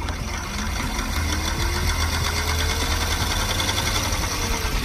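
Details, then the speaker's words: 2002 Mini Cooper S R53 that overheats in traffic, with a seized power steering pump fan that was blowing the 5 A fuse: cooling fan running after a new fuse, steady whir with grainy, uneven buzz; fan sounds rough and unhealthy. "I can hear it now is going let me operate again though it's not right for very long and it doesn't it doesn't seem that healthy either"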